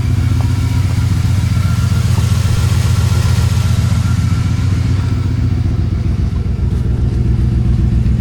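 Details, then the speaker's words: 1996 Dodge Van V8 just after fitting a new ECM, with repaired transmission, new Cherry Bomb muffler and rear brakes: deep, even burble, steady firing, no knocks or misses; runs healthy. "I just love how this thing sounds."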